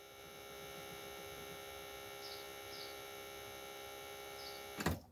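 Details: BMW E36 325 TDS with hot-start problem: ignition switched on, fuel pump priming gives steady electric hum with fine high whine for several seconds then cuts off cleanly; normal pump operation.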